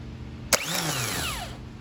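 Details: 1999 Chevrolet Corvette Z06 (no-start, burnt wiring harness) starter motor bench-tested by jumping the solenoid switching post: sharp click as gear throws out, then clean whine spinning up and winding down smoothly; starter in good condition.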